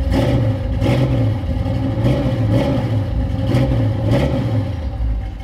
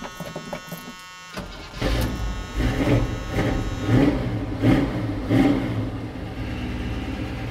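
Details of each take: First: High-compression small-block Chevy 350 V8 ("Iron Man"), started with a jump box after sitting unused collecting dust, runs with a deep, strong burble, revs cleanly on quick blips and settles to a steady idle; healthy. Owner still to check battery versus alternator. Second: High-compression small-block Chevy 350 that sat unused, started with a jump box: slow labored cranking with heavy compression pulses about every second, then it catches and revs; hard starting, cause unconfirmed.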